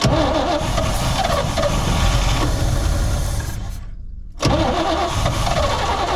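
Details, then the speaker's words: 1972 Chevy C20 pickup stored over 20 years, started on starting fluid and old gas: rough, uneven running for a few seconds that dies and catches again. It won't hold idle; the fuel pump is suspected of not yet delivering fuel, unconfirmed. "well i mean we will say it it can run we'll keep going here we'll see if we can't get it to idle"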